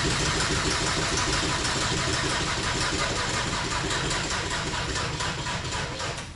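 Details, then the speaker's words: Audi TDI diesel engine in Raptor prototype with new reduction drive, cranked without fuel to build oil pressure; sluggish labouring crank about four turns a second, slowing and fading without firing, flat battery. "but here you go this is what it sounds like when you're trying to start it with a flat battery"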